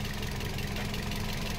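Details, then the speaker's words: Toyota Vios petrol engine idling after compressor pulley swap (4PK pulley replaced with 3PK), belt repeatedly failing: smooth even low hum, no tapping or knocking; normal sound. "na yung tuktok totan na yung ito na yung tunog niya o ' ba yan na yung normal na tunog niya sir"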